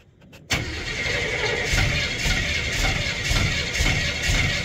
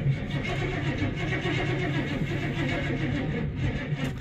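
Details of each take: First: Crew cab, cold start with no oil pressure yet: catches after a brief crank and settles into an even steady beat of about four pulses a second; fired up pretty good, normal cold start. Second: Crew cab truck with TBI 350 V8, marketplace buy, fresh battery, oil fine, no coolant, fuel tanks junk: slow labouring turnover with uneven compression pulses and no catch, battery run low from repeated cranking; slow cranking, no start.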